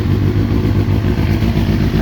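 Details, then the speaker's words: 2000 Kawasaki ZX6R inline-four at about 50 degrees, chokes on, fuel tap off, carbs out of balance before synchronising with mercury gauges: uneven, lumpy, stumbling idle with loose clatter, sounding a bit rough. "That's why it sounds a bit rough."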